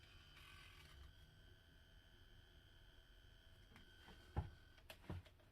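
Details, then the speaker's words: Moza Mini-S smartphone gimbal switched on, possibly before it was fully unlocked: a faint, steady high-pitched motor buzz with a few handling knocks. Owner wonders whether the motor is burnt or the battery is poorly charged; cause unclear. "Buzzing. Okay. Is this a sign of burn motor or poor charge?"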